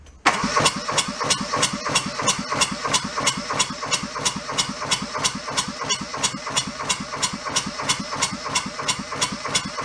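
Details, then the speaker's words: Junked small Kubota diesel fed from a diesel bottle, hose squeezed to prime: cranks, catches and chugs near idle about three beats a second, then air gets back into the fuel line and it loses prime. "look we had it and then it went back to air again"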